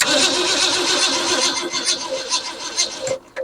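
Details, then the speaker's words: 1963½ Ford Falcon Futura hardtop, not run in 18 years: slow, uneven cranking for about three seconds that stutters and stops without firing; no spark found, coil reading 14 volts, weak battery. "all right we got no spark which is fine you know I kind of figured that"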